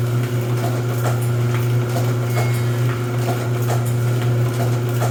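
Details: Rosback 250C (318) 3-knife trimmer with CueFeed feeder, new DC controller fitted, delivery not running so books caught by hand: steady motor hum with light clack about three times a second as books are cut; normal running cycle.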